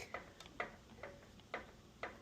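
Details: Scag 36-inch commercial walk-behind mower, four-stroke gas engine: sharp, regular metallic ticks about twice a second, first suspected as rod knock. Compression tested low; knock came from the lifters and went away after an oil change and maintenance.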